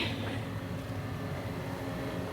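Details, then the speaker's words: Sailboat generator that wouldn't start, just fixed at sea on a Pacific crossing: low, steady engine hum, even and unbroken with no misses or knocks; generator running normally after repair. "What'd you do, Connor? I fixed the generator. He fixed it."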